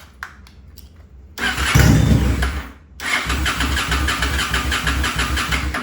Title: Honda Shadow 2007 wont start without restricting air in take through carb